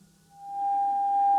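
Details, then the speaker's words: Tube radio during RF alignment with dummy load and modulation on: clean steady pure test tone fades in and holds at one pitch, received exactly on the tuned 6.1 MHz frequency. "oh that is exactly on 6.1 exactly I couldn't make it closer"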